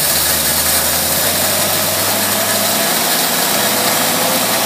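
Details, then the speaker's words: Tri-power Corvette engine on test with a Holley two-barrel carburetor that is leaking: uneven lumpy idle with irregular beat under heavy hiss; big air leak suspected; rough running. "Ooh. Doesn't sound good. Is it got a big air leak in the back or something?"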